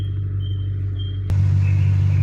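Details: 2000 Ford Mustang 4.6 V8, coil-per-cylinder, after resolving a no-code misfire found by cylinder contribution test: deep steady low rumble at the muffler with no pops or skips; normal exhaust note, firing evenly.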